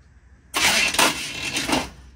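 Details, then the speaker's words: 1973 Chevy small block 350 in a truck, first start attempt after new spark plugs and firing order set, choke applied: harsh rasping metal-on-metal crank of about 1.5 seconds that never catches; starter engagement suspected, cause unclear. "that didn't sound good that's not good don't crank it just give it a what is that what is that it sounds like metal on metal yeah like a lot of metal on metal"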